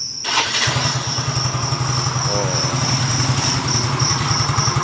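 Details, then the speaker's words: Yamaha Mio GT FI after the rough-sounding engine was repaired: fires quickly and settles into a smooth, even single-cylinder idle with no knock; worn CVT parts remain. Normal idle. "Hai kemarin mengupload ya suaranya sekarang mah halus"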